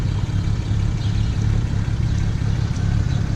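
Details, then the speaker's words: 2008 BMW 335xi coupe at 88,000 miles, cold start early morning: a lumpy, uneven low rumble with occasional stumbles and some injector tick; the owner reports a small misfire that smooths out when warm, and coils 4 and 6 were changed. "bit of an injector tick I set your Eiling rough right now I could hear it sounds like a [ __ ] weird everything I say"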